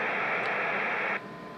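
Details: Motorola M120 (GM300 variant) receiver with 1 µV RF injected: steady rushing hiss with no signal once the squelch potentiometer is turned down, then near silence; the receiver is deaf, not just squelched.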